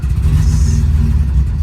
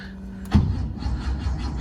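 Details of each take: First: 50-year-old air-cooled Porsche 911 flat-six, project car's first start attempt: low, uneven burbling with a short blip of revs; engine firing and running. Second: 1970 Porsche 911 air-cooled flat-six, undriven about six months, battery just charged, a little throttle given: starter turns the engine over in a steady low chugging rhythm for a couple of seconds but it never catches; cranks, no start.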